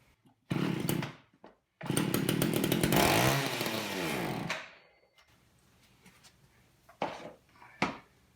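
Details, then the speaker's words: Long-stored old Craftsman two-stroke chainsaw with a gunked carburetor, started on fuel poured in by hand; good compression and spark; fires in bursts, revs hard, then sags and dies, won't idle; carburetor needs full teardown and cleaning. "I think the only way you're going to be able to save it though is to take it all apart and clean out the carburetor doesn't want to idle it doesn't want to keep going"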